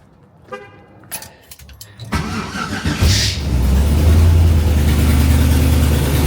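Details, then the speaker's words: 1974 turbo Camaro after a track run where it broke up badly: cranks, catches and runs loud with a choppy, uneven low exhaust beat; rough running, owner suspects a blown header gasket, header to be pulled and compression checked. "Oh, that's bad. Yeah, that doesn't sound good, y'all. We not be We may not be making Woodstock. Maybe we just blew a header [Music] gasket."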